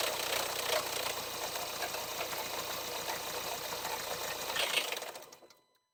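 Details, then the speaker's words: 2012–2018 Range Rover Evoque L538, 2.0 diesel Ingenium engine, cold start after sitting a couple of days: loud, fast metallic rattle slow to quieten, some noise at switch-off; timing chain rattle, chain in bad condition, needs urgent replacement. "so it was it was quite clear the noise um if you heard it the engine was quite loud for quite a good second actually at this stage the chain is quite in a bad condition because it took a lot longer for uh for it to quieten down"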